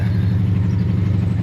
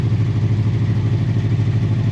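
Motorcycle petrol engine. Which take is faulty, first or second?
first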